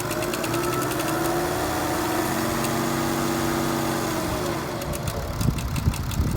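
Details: BMW F10 535d diesel blipped lightly: the hum rises and falls with a faint metallic rattle over it, thought to come from the rear of the engine. Noise appears when revs drop; timing chain inspection planned. Cause not confirmed.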